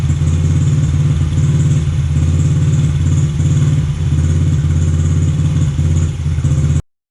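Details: Honda XR50 (CRF50F) single-cylinder idling after throttle cable adjustment, before idle screw adjustment: steady putter with an even beat that holds speed, never hunts or surges; clean, settled normal idle.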